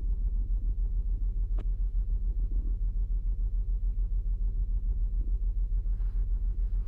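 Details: 2008 Saturn Outlook at cold idle, cylinder 1 misfire seen with the Torque app and a BAFX Bluetooth tool, only on cold starts; low, even thumping about three and a half times a second with a loping stumble.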